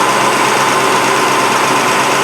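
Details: 1965 Ford Mustang small-block, back running after 20 years in storage, warm idle: even, steady, smooth unbroken beat with no ticking or misfire; coolant overflowing from the overflow and an oil smell noted, valve cover gasket suspected.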